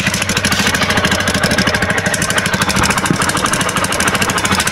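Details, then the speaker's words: TVS Apache RTR 2V after a big bore cylinder block and half engine rebuild, started with the exhaust nut not yet fitted; loud, raspy puffing at each firing pulse, around three per second at idle, sharp and open-sounding. Exhaust leak. "এমন শব্দ দেওয়ার কারণ আমি David নাটটা এখনও লাগাই নাই।"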